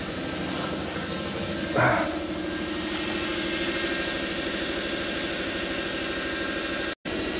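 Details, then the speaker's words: 1995 Lexus SC300 with 230,000 miles, non-running car that runs then dies; idle hunts with faint uneven surging and a brief flare, no tach signal, before stalling. "engines hunting all over the place"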